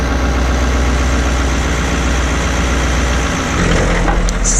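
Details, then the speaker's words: Caterpillar 3208 marine diesel on a boat at idle after a fuel pump was installed: a deep, steady thrum with no miss or knock, no smoke and cooling water flowing; healthy idle. "That's the sweet sound of a Caterpillar 3208 engine with no knock and no smoke."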